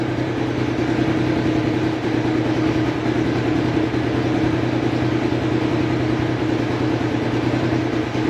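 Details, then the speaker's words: Motorcycle on an Aracer ECU, fuel base tuned without an AFR meter: dull, heavy, labouring note that still climbs on throttle instead of crisp revs. The mixture is too rich, and it would eventually die. "Jadi kalau kebasahan itu masih mau naik, cuma berat, lama-lama mati nanti."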